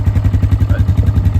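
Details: 2008 Polaris Scrambler 500 HO 4x4 in neutral: even, quick single-cylinder thump at steady idle with no knocks or ticks; starts right up hot or cold; healthy engine.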